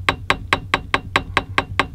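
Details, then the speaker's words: New RV screen door with a newly added grab bar: sharp, hollow taps about four to five times a second as the bar taps against its bracket; owner plans to put something in between to stop the rattle. "So if things are rattling, and that's just this bar. That's just this bar tapping against this bracket, like that."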